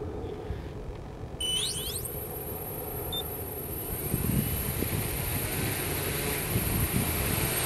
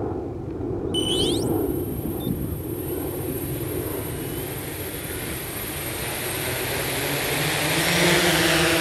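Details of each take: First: 1100mm SuperX hexacopter on takeoff: motors whine up, hold a steady high pitch, then surge louder like kicking into second gear instead of climbing smoothly; owner links tip-over takeoffs to high CG, cause of sound unconfirmed. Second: 1100mm hexacopter taking off in attitude mode in a crosswind: short beeps, then motors spool up to an even, steady roar under wind noise, no surging; clean takeoff.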